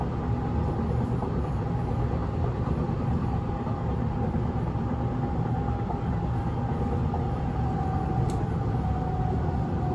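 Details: Inside a nearly empty 1991 S-Bahn Berlin BR485 railcar 485 112-7 on the S8 from Schönfließ to Hohen Neuendorf at steady speed: heavy low rumble and rattle from a severe wheel flat spot, rougher than these cars normally run.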